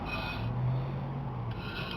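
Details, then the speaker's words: 2000 Honda Accord front hub spun by hand after brake pad replacement (old pads worn to metal): soft even pad rub and low hum, no rumble or grinding; wheel bearing sounds fine. "sounds good to me what you're hearing is your brake pads okay"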